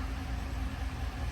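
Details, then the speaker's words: Chevy Silverado V8 first run after repairing cylinder 5 misfire (worn cam lobe, new lifters soaked a day, heads freshened with valves, seats, springs, seals): deep steady even idle, no miss or tick; runs smoothly. "zero and I it's all back together as I'm this is its first run right here"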